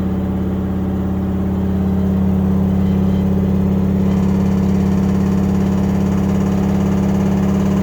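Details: LG washing machine during the spin cycle. A loud, steady low roar with a constant hum builds and holds at speed: excessive spin noise, cause unknown.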